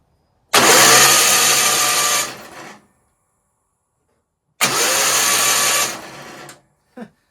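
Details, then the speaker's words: Toro 616Z zero-turn mower with Onan P216P vertical-shaft opposed-twin engine: two long even bursts of starter cranking with no firing; meter shows no current from the ignition coil, so no spark; cranks but won't start. "But anyway, either way, we're not getting any current coming out of the ignition coil. So that's the whole thing, is that we're not getting spark."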